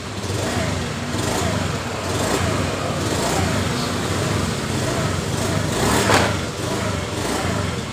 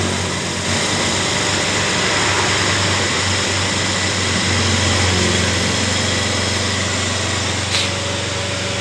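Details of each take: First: Honda Beat FI scooter, kick-started with no fault code shown: idle is normal, but under throttle the revs rise and fall unevenly, sometimes clean and sometimes stumbling. Engine hesitation. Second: Honda Beat FI scooter (complaint: hesitates when throttle opened) after reinstalling the air cleaner cover: small single buzzes along at steady even idle with no stumbles; normal idle.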